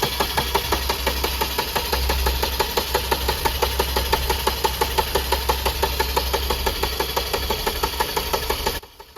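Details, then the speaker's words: 2019 Maruti Swift diesel with a long starting delay runs with a lumpy beat of about three heavy, uneven thuds a second over a steady clatter. It is misfiring badly; the cause is unknown. "കണ്ടില്ലേ വല്ലാത്ത മിസ്സിം ആണ് കണ്ടില്ലേ Indian കിടന്ന് പിറക്കുന്നത് കണ്ടില്ലേ"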